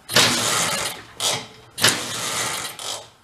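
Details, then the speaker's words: 1969 (owner believes) Benelli Buzzer mini bike, about 53 years old, formerly locked-up small two-stroke, first run on dribble of fuel; short crisp quiet buzzing throttle blips, runs healthy. "a little throttle oh yeah she'll live quiet too huh awesome"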